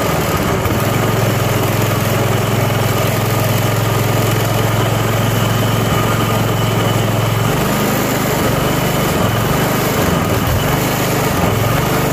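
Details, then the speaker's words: Self-propelled lawn mower, first spring start after winter storage and tune-up (oil, spark plug, Seafoam), cold at about 40°F on choke: engine idles steadily with an even low putter, no misses or knocks, settles cleanly; normal idle. "and it idles nice and slowly because it's cold but it's running"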